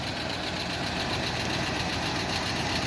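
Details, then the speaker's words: 1968 Jeep Wagoneer with a 1972 AMC 360 V8, revived after sitting a year (timing chain previously replaced), fully warmed after a short drive. Smooth, steady idle with a faint light clicking that the owner suspects is an exhaust leak. "so i just took her for a short trip around and she's fully warmed up the idol is so smooth and nice it is a little noisy i think that might be an exhaust leak that clicking noise the engine runs really really good"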